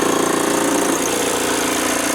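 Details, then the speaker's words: VW T25 van with a TDI engine swap, idling after an injector overhaul with larger nozzles: a fast, light rattle over the diesel clatter at the front, suspected to be a seized alternator overrun pulley. "It's that pulley, right? That's an overrun pulley."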